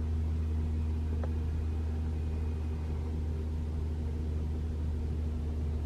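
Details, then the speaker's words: 2021 RAV4 Prime SE starting in EV mode, battery fully charged two hours earlier, heater on: steady low heat pump hum only, with no loud honking noise this attempt. "all right nothing I can hear the humming of the heat pump but it didn't make the loud noise okay maybe we didn't wait long enough"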